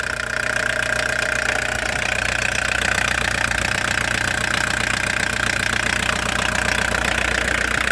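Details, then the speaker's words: Old Audi diesel for sale, new battery: regular clatter at about three beats a second, steady rhythm, no misses or odd knocks; healthy idle. "так моторчик робить непогано"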